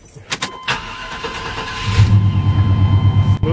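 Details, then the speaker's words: Chevrolet/GMC truck 350/305 V8 after a new distributor cap and rotor: cranks, catches and settles into an even idle within two seconds with no stumbling. Much smoother than the last start, normal idle. "man way smoother it's jumping last time I cranked it that's good real good wow"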